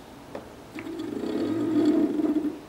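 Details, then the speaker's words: PolargraphSD machine stepper motor on a Pololu driver board with current set too high (about half power): gritty, crunchy purring buzz instead of smooth hum, reverberating off the desk; fixed by turning current down by ear. "just turn the motors on you could hear them go on there in the sound a bit sort of crunchy that's because they're reverberating off the off the desk here"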